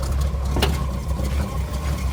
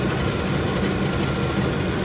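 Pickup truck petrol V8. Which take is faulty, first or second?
first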